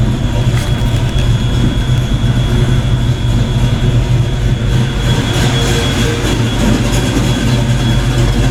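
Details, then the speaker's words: Black Stang (Mustang) first fire with 24 lb injectors and 73 mm mass air meter, rockers shimmed; loud, steady deep idle with faint constant high tone, no ticking or stumbling, before warm-up: normal idle. "that sounds damn good i'm getting excited i think i did something right"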